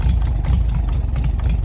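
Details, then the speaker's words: 1940s Oliver 70 tractor, first start in about 12 years after valves were adjusted: low, slow idle with a dull knock about twice a second; owner suspects the valves up top were mis-adjusted, unconfirmed; good oil pressure. "honestly that knocking sound it sounds like it's coming from up top maybe when I adjusted these valves I probably should have adjusted them"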